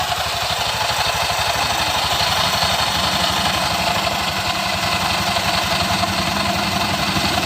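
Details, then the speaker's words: Honda Vario scooter that had failed to electric-start, after freeing a jammed kick-starter linkage: starts and settles into small single putters at a smooth even idle under a steady hiss, no misses or knocks; now running normally. "Oke, kita kontak on dan kita starter mesin. kembali normal berputar."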